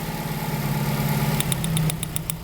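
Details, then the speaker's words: 1995 Mitsubishi Libero 4G15: idle stumbles unevenly with number 1 plug wire pulled to a test light, and sharp snapping ticks as the spark jumps far. This is a deliberate single-cylinder misfire confirming the distributor works well. "Right, jumping real far, right? And you hear the vehicle misfiring. So that's telling me that this distributor is working real good, right?"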